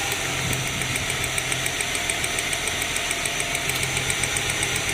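Steady idle with a light, uneven tick-and-stumble roughly three times a second that keeps breaking the rhythm, like a misfire.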